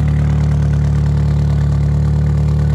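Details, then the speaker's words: Ford 2.3L SOHC twin-spark engine after coil pack swap mod: steady deep idle with heavy, even, low exhaust thumps and no misfire gaps; exhaust pulses definitely stronger, though idle was a little rough on startup. "so the exhaust bosses are definitely a lot stronger so"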